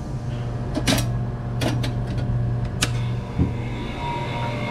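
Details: Water-cooled split-system walk-in cooler that kept tripping the breaker, after rewiring with new connectors and BX cable, breaker switched on: low hum with sharp clicks, then the compressor starts and runs normally.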